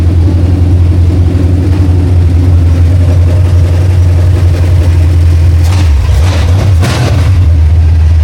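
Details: 1968 Mustang V8 on long tube headers, fired with a jumper bypassing a coil power wire fault (power only in crank): deep, loud, even rumble swelling cleanly when blipped and settling back without misses; healthy, normal running.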